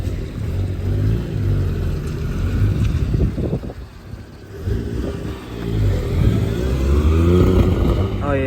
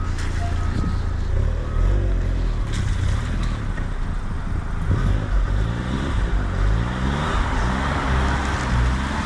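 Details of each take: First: Suzuki Cappuccino on a test drive with a suspected boost leak: engine pulls, then revs stumble, hiccup and surge unevenly under throttle; hissing gone after a line swap, possible misfire, cause not confirmed. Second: Suzuki Cappuccino kei car on a test drive after vacuum line replacement: even engine drone under road and wind noise, pulling steadily with no stumble or hiccup; hesitation appears fixed.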